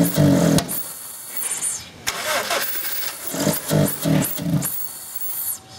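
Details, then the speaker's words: 2001 Honda Civic 1.7L no-start case: it starts, runs in uneven surges like it's starving for fuel, bogs and stalls despite spark, fuel and compression; timing belt installed incorrectly, fixed by resetting the belt. "so you heard in that start run stall issue that almost sounds like it's starving for fuel it's bogging out"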